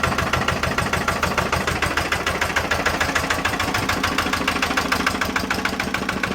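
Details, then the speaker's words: 1955 Lister LD1 single-cylinder diesel (2 HP at 1000 rpm) before restoration: a steady, regular thump of about two beats a second with no extra knock. It starts fairly easily and runs healthy. "Yeah, I didn't give her a long run because she does bounce on the floor and they can hear it in the house, so yeah. So that's the LD. She does run, starts fairly easy, so just give her a cosmetic restoration"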